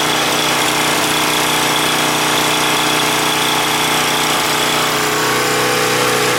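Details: Husky 1850W generator, about 5 hp, Mikuni T3044 carburetor converted to natural gas after failed cleanings: steady even drone, constant pitch, no surging, misses or knocks; runs better than on gasoline; normal running.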